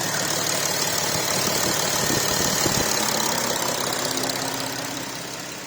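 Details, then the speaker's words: Audi A5 CCWA V6 diesel after replacing all pulleys, tensioner and drive belt: steady, even idle with no squeal, chirp or rattle from the belt side; engine sounds healthy. "Alright, that sounds good. Start the car up, everything went well."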